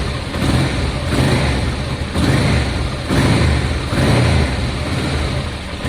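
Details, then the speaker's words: Honda Deauville V-twin motorcycle after carb clean, idling after start: slow, lazy idle with a soft uneven pulse about once a second; idle speed low, owner plans to raise the idle screw. "The idle's low, but that'll be kicking about somewhere."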